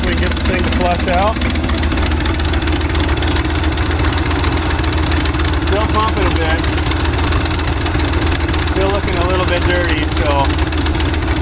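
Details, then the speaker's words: 1955 Chevy dump-bed truck, sat 23 years, idling on its own on fresh fuel while old fuel is pumped out, before the fuel filter change: low, even, steady rumble with a few chirps, no misses; normal idle. "Running great though. your idling on its own."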